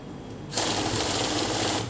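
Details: Kavinstar heavy-duty cash counting machine with batch set to 25: about 1.25 seconds of fast, even flutter of notes feeding, then clean automatic stop at the batch count; working normally.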